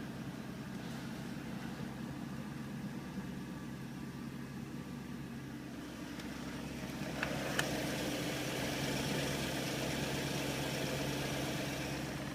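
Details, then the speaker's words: BMW E38 with M62TU V8 at 177,000 miles, cold morning start after four days, following a timing guide replacement: even, steady idle with a smooth low hum, no ticking, no engine light. Normal. "Cold start, morning, ready to go to work. It gets cold. 177,000 miles. It's a perfect start. No engine light."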